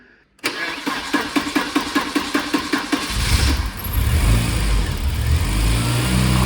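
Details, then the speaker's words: Warm Volvo 940 turbo with ECU coolant temperature sensor disconnected while troubleshooting non-working cooling fan: slow cranking about a dozen pulses before catching roughly, then loud steady fan roar at full speed. "as you notice the engine uh starts a little bit bad when the sensor is off or that I have disconnected the S ECU temp sensor but now the fan is working"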